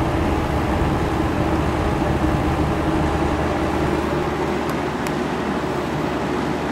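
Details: Hotpoint Porta-Cool 5000 BTU window air conditioner, just cleaned and switched on in a room at about 72–73°F: a steady low hum and even fan rush with no rattles or squeals. It is running normally.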